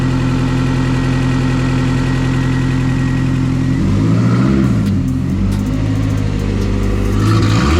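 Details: Honda Prelude with a custom exhaust: loud raspy exhaust note with a puffing edge and some whistling as the engine revs and settles. Gases escape through the open O2 sensor bung upstream.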